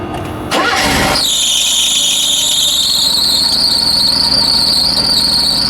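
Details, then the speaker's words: Mercedes W124, cold start after a fuel pump replacement, filmed at the engine. A loud, high-pitched squeal holds over the engine, wavering slightly in pitch; a belt squeal is suspected but not confirmed. "You got some belt tweak."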